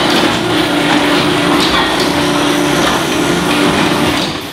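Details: A garage door grinds and rattles as it travels, a steady rough clatter from dry rollers on each side of the door. They need lubricating.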